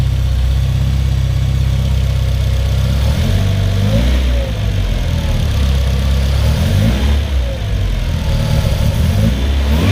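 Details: 1994 Civic EG K20-swap race car after fuel-leak fix, 4-1 header and 3-inch custom exhaust: loud deep steady idle with smooth rev blips rising and settling cleanly; runs evenly, fuel pressure good, sounds healthy.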